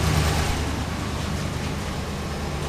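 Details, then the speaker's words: Ram 1500 V8 at cold start after exhaust manifold repair (warped cast-iron manifolds, broken bolt, new Fel-Pro gaskets, ARP bolts): steady deep idle, previously leaking side now quiet, no exhaust tick. "we're gonna start it up we'll hold the camera well nevermind the rod knock the exhaust leak that's what we were trying to fix he's pretty funny yet all right but this was a bad side over here pretty quiet"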